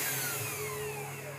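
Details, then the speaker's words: Cheap 300/500/800 W spindle motor after balancing its plastic top fan: quiet, clean whine sliding smoothly down in pitch as it spins down, with no wobble or buzz; vibration gone, well balanced. "as you can see everything is now smooth nothing's vibrating around the noise is quite quiet i can easily talk over it's much smoother"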